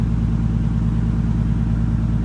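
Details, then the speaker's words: Nissan R33 GTS with newly installed Link G4X plugin ECU, after fixing a too-rich flooded no-start by charging the battery and drying wet spark plugs: steady low-pitched idle with even pulse, no stumbles or knocks; running fine. "That the good thing is that it's turning on."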